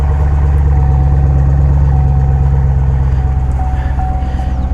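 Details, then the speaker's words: Chevy Camaro SS V8, restarted after a cold start following a few days sitting: deep, steady idle rumble with even firing and no knocks or misses; normal idle. "All right. Let's fire it up again. All right, starting up again. Sounds great."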